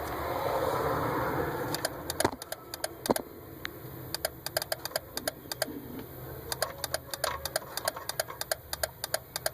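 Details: 2001 Daihatsu Terios turn-signal flasher: sharp, fast relay clicks in uneven bursts over a low idle hum instead of a steady flasher beat; cause unknown.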